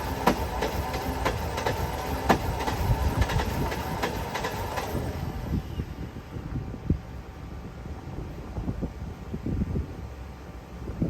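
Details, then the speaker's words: OBS Ford F-150 after reinstalling fuel tank and replacing fuel pump; pump works, but starter cranks evenly about three turns a second for five seconds and engine never catches; crank, no start, owner suspects 3-year-old fuel in tank. "Obviously you could hear that it was trying to crank, it was trying to get some fuel into the engine, but it wasn't working."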